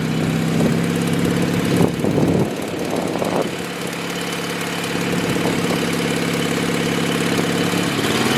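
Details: 1986 Murray lawn tractor, 40-some years old, mowing grass after carburetor repair: steady single-cylinder hum holding even speed with a few handling bumps; runs smooth under mowing load.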